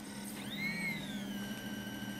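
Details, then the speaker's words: Opened 80GB Samsung IDE hard drive powered up with its cover off and a screw removed: a quick rising whine as the spindle motor spins up, then a steady high hum over a low electrical drone; the motor spins normally. "there you go you can hear the motor the motor's just spinning"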